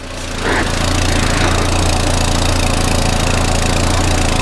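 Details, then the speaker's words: 1994 Volvo 480 2.0 litre, idling after exhaust refit with sealing paste: steady idle with a fast, ragged puffing tick over the exhaust note; exhaust still leaking at the rear joint, clamp not crushing it properly. "yeah I can still feel it I can still feel a lot of exhaust gas coming off that that's not tightened at all"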